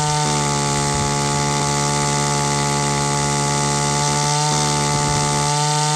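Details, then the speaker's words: Echo two-stroke line trimmer at high speed while the high-speed mixture screw is turned in to lean it. The whine shifts from rough, rich four-stroking to a smoother, cleaner two-stroke note; carburetor now set well. "the tone of the engine change from that sort of ruff that ruff four-stroke sound to the smooth two-stroke sound just by turning in that screw it it leans out the amount of gas that gets mixed into the air"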